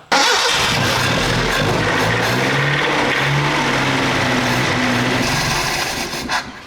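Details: 1978 Datsun 620 mini truck under restoration, fuel drawn from tank through inline filter: starter cranks briefly, engine catches cleanly and settles into even steady idle; filter filled with fuel, starting and fuel delivery healthy.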